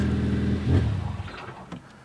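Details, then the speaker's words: 2010 Hyundai Sonata 2.4 with an intermittent no-start and no engine codes: it idles fine, the idle rises briefly on throttle, then it bogs and dies within a second and won't restart. Seems fuel-related. "Died. I mean, man, does that seem fuel related to me."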